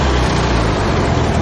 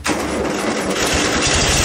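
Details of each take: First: VW Beetle air-cooled flat-four in a motorcycle build with hand throttle: short burst of a steady, even low beat with no knocks or misses; engine running well, though the replaced belt is very sloppy. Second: VW Beetle engine in an ATVW junkyard motorcycle build: engine catches and settles into an uneven, loping idle with a beat dropping out; cylinder four misfiring from a fouled spark plug.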